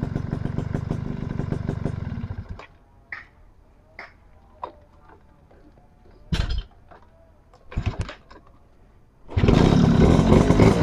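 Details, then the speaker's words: Suzuki RC100 two-stroke motorcycle switched off and restarted: idle cuts, clicks and clunks, catches quickly and settles back to even idle; normal start and idle. "nelpon garing mesin masih enak ini guys"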